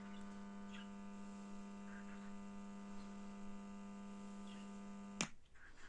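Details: BD424 amplifier: constant low, steady hum with a buzzy edge that never changes, then cuts off abruptly; mains hum through the amp suspected, cause not confirmed.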